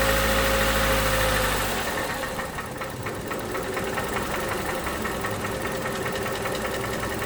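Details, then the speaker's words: 2011 Toyota Camry 2AR-FE with stalling issue, just after replacing lifters and rocker arms; revs dropped from 1500 rpm off throttle, quick even tick about three per second as it settles, nearly dies and shakes: lifter tick. "However, I do hear, I don't know how we can hear it, but I do hear like a slight ticking. I do hear a slight ticking."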